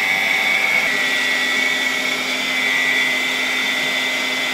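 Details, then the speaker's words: Steady high whine from a restored 1964 Polish Gamma II vacuum cleaner (type A-6b) with a KASB-70/30 motor: a faint rough edge from slightly worn motor bearings; it works quite well for its age. "I must admit that I am quite satisfied with this test. You can hear the bearings in this motor a bit. But remember, it is 60 years old, this is a 1964 motor."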